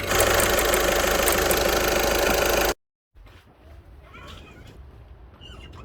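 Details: VW 1.6 TDI (Touran/Golf/Polo) diesel idling: fast, regular rattle about four per second over the clatter from a worn accessory belt tensioner pulley.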